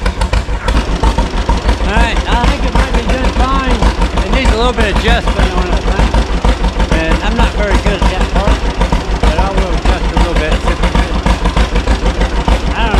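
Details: 1936 John Deere Model A two-cylinder, running after sitting three years with new plugs, cap and sanded points: slow putt-putt about three beats a second, mostly steady but slightly uneven; carburetor unrebuilt, float possibly sticking, probably still needs tuning.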